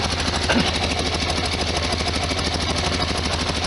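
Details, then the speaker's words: 1973 VW Super Beetle flat-four idling close up after valve cover gasket and oil/filter change, still leaking on the other side. Even, steady chuff with no knocks or rattles; the engine is running smoothly. "okay down there he's leaking on the other side not too much noise coming out fantastic"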